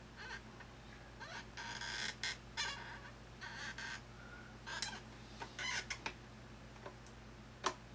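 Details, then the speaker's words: Thrustmaster rudder pedals: short high-pitched squeaks each time a pedal is pressed, over a quiet hum. The pedal's left-right play lets parts rub together; fixed with lithium grease. "all right so I seem to found the problem the pedal can move a certain amount left and right and where intersects with this and this my gets rubbed up next - it seems like noise yeah"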